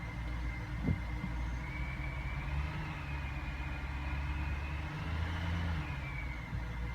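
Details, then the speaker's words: 2005 BMW E60 545i, about 60,000 miles, increased emissions warning, owner reports rough idle, misfire and revving up on its own: idling in the garage, quiet steady low idle with slight pitch drift, no hunting; normal idle right now. "I don't know like um right now it seems fine I'm in the garage so I'm going to turn off"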